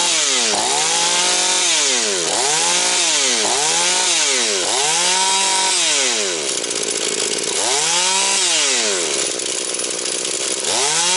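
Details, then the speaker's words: Husqvarna 240 chainsaw, mixture leaned to 2 and 1.75 turns, idle raised: snaps to high scream and drops back cleanly about once a second, no air leak. Normal running. "Ну що вам скажу Люкс пішла як годинничок значить набір обертів скид швидкий Все як має бути підсмоктування повітря нема"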